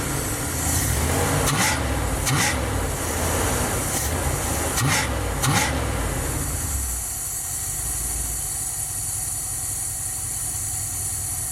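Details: 1977 Dodge van 318 V8 2bbl after mileage/horsepower rebuild with changed air intake, first cold start, idling in gear: smooth even rumble, steady low beat, quiet, no knocks or ticks. Normal idle.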